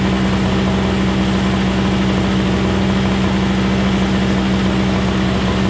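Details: Craftsman 21" single-stage snowblower, 5hp two-stroke Tecumseh engine, after carburetor cleaning and tune-up, started on electric start: even buzzy two-stroke drone at fixed speed, no misses or surging; running normally.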